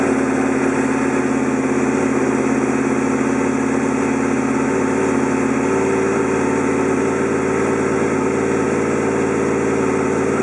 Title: First startup after new clutch basket and oil preassure spring